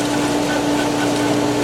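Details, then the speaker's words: Polaris pool robot booster pump started with air in line after solar heater drained: steady motor hum under rough, hissing watery rush, loud, as pump cavitates through trapped air while catching prime. "all right on so loose or air in it that's forced on rooster papasan people help when it goes we're going to get that really really loud so and getting rid of the cavitation and the ground and vibrate maybe error"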